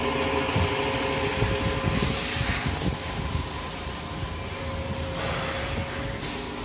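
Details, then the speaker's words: Toyota Alphard around 2010 after balancer shaft set replacement: steady, even idle with smooth low hum and fan whir, no knocking or vibration; engine smooth and RPM normal. "mesin sudah halus Hai tinggal test drive aja Hai RPM juga normal ya"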